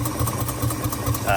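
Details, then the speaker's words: Warm 1948 Studebaker Champion flathead six (thermostat open) at a lumpy idle with a missing beat: cylinder No. 6 confirmed dead by a cold exhaust pipe; owner suspects corroded, exposed plug wires/boots causing the miss. "Anyway, in the past, I've had corrosion issues and the plug wires cause misses like this on flatheads."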